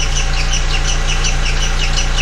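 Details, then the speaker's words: VW MK4 Golf idling with the accessory belt removed and the timing cover off: a sharp, regular chirping squeak several times a second. Its frequency matches cam gear rotation, so a timing belt/tensioner fault is suspected; a new timing belt kit is planned. "okay great it's making a noise but i really can't tell where it's coming from but if you look closely the frequency of the squeak"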